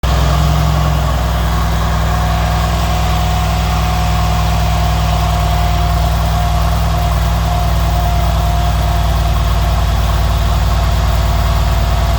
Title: Mercedes CLS S CL SL E GL ML Class Engine Noise(Ticking Sound)